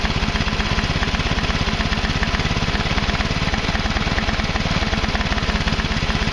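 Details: Craftsman Hydromatic mower with a 15.5 hp Briggs & Stratton OHV single, previously flooded and overfilled with oil, now runs with a steady even thump and no misses after the oil was drained to the correct level.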